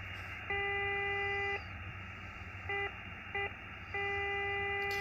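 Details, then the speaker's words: Xiegu X6100 ham radio, one of many birdies across the bands, RF gain not fully up: steady whistle near 400 Hz with overtones cutting in and out over receiver hiss; internal receiver birdie. "so this radio does have a lot of birdies but I think most of them aren't super bad you can see that one right there that one's pretty bad"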